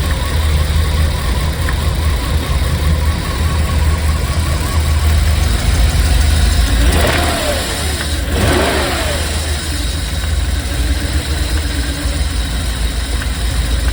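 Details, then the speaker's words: 1995 BMW 540i E34 V8 after an engine refresh (seals, plugs, valve covers, valley pan): runs nicely but holds a steady high idle that never drops. Owner suspects the throttle position sensor was switched up with another sensor. "okay so based on what I saw uh the engine's running really nice now it's idling really high that's the only issue"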